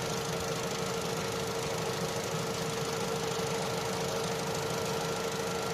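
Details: Opel Astra J 1.4 petrol idling smoothly and evenly after a new spark plug and coil cured a cylinder 1 misfire; misfire counters now zero on all cylinders, no stumble, normal idle.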